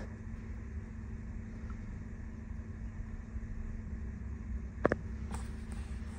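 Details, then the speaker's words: 1998 Ferrari 456 GTA, out of storage with random misfires and a check engine light, restarted: low, quiet, even idle with no stumbles or shaking and a couple of clicks; idling smoothly now. "all right well actually so far it seems really smooth seems like it's kind of idling pretty good it sounds pretty good"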